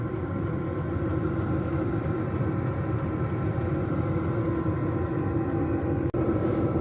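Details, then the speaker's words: Diesel air heater in a box heating a house, run at a low setting for hours on a full tank: steady low exhaust roar, fan whir and faint regular fuel-pump tick; normal running. "I have to admit when I first started my very first diesel heater up for the first time I was pretty nervous you hear the Roar from the uh the exhaust and the the turbine going around the ticking uh the heat coming out"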